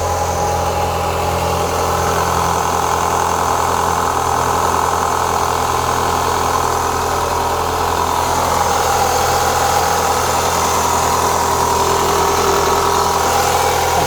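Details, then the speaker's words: 2004 Renault Clio 182, sat unused since 2014 after developing a diesel-like engine rattle, starting after years; cold idle and tiny rev give a fast clattery top-end rattle, bottom end judged fine (not big ends/crank); worn cam phaser pulley. "there's a little noise at the top give it a tiny Rev that don't sound too bad I mean if it was like big ends crank anything like that it would be a lot more rally that sounds all right to me there's something up the top here"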